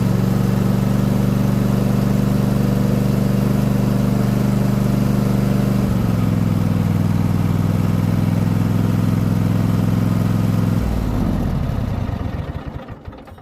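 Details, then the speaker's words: Craftsman T8000 riding mower with Honda engine, cleaned after rat's nest; running smooth on very low idle, no transmission whine, winding down cleanly at shutoff; normal idle. "nice and smooth no winding from the transmission no whining from the transmission that sounds great it's on really low idle"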